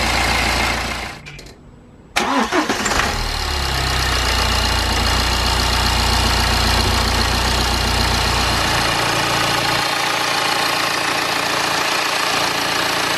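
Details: BMW N47/N57 diesel after replacing crankshaft pulley (damper), drive belt, tensioner and idler pulley: cranks briefly, catches near two seconds, then settles into a steady, even idle with no knocks, squeals or rattles.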